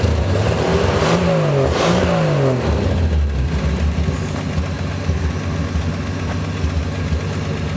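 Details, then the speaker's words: Field-find car after replacing a carbon-tracked distributor cap: two quick, clean revs, then a steady, even idle with no miss or popping; normal idle and revving. "it helps when you have a cap that's not got a carbon Trace in it I've never ran into that before"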